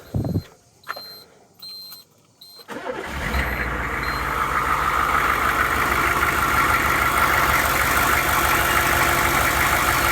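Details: Normal start and idle on a 2001 Hummer H1 diesel right after a fuel filter replacement and air bleed with the lift pump: short crank, then it catches and settles to a smooth, even idle clatter with no stumbling.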